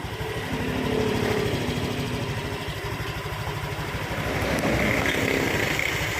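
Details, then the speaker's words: Honda Vario 125 scooter on center stand, which rattles at about 80 km/h under load: smooth, even idle with quick steady putter, no screech or rattle; sounds normal at rest. "OK, for the condition of the engine sound when it's idling like this, the rotation is very smooth, like a normal motorbike, no problems whatsoever, Bro."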